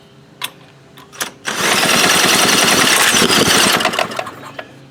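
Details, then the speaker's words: Baja Doodle Bug mini bike with a carb issue, pulled over on a shot of brake cleaner; engine catches into a loud rapid run for about two seconds then dies: it has spark, fault is fuel delivery (carburetor replaced later). "fires well we have sparkage"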